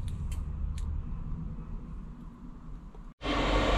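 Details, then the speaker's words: Chinese diesel heater newly fitted in a self-built campervan, fuelled and primed, switched on at home on a cold Scottish evening: low hum and clicks, a brief drop-out, then a loud, steady, fast fan rush while putting out heat; normal running, fan speed not yet turned down. "just need to go through the instructions and figure out how control the fan speed and stuff like that so it's not on so loud and Fast all the time"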